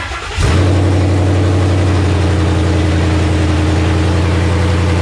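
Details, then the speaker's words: '84 Fox-body Mustang with Gen II Coyote V8 and 6R80 transmission from a 2017 Mustang GT, cold start with no coolant yet: quick crank, catches instantly, deep steady even idle; engine sounds great. "But hey, Motor sounds great though. it lit."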